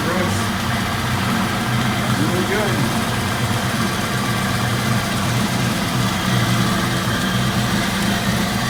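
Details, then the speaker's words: 1992 Mustang GT Foxbody V8 idling on a jump box, running without the mass air sensor or alternator hooked up. A deep, steady burble through the exhaust with no knock or miss; normal idle. "yeah it's running really good sounds good through the exhaust everything"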